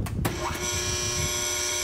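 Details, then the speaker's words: Three-phase rotary phase converter powering lathe workshop: steady electrical hum with fixed tones and a fluttering, playing-card-in-bike-spokes edge when cold; noise fades after it warms up over an hour or two, cause unknown. "giving just a little bit of a noise after it runs for a couple hours or an hour or whatever it just it warms up a little bit and then that noise kind of goes away and it sounds like it normally did or that first did when I installed it"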